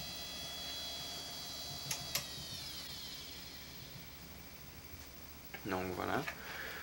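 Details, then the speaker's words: Old Western Digital hard drive from a retro PC collection: a steady high spin whine with a few sharp ticks and a short clattering burst of head seeks, the drive's recognizable normal operating sound. "Franchement, moi je le sais tout de suite, dès que quelqu'un utilise un Western Digital de cette époque, ça se reconnaît entre toutes les marques."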